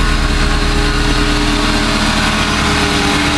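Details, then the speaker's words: Supercharged Subaru Impreza, throttle body relocated ahead of supercharger, restarted after fixing a massive vacuum leak and checking ECU codes: loud steady even note without stumble, hiss or misfire; runs smooth, normal idle. "massive vacuum leak fixed ECU codes checked let's try this again the first well that sounds pretty smooth to me"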